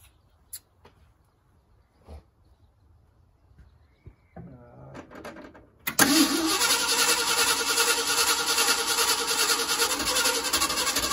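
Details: 1973 Ford F-250 4x4 crew cab, carbureted, after carburetor jets reworked and carb refitted: short crank, engine catches and settles into a steady busy idle; before this it would idle then load up and need choking.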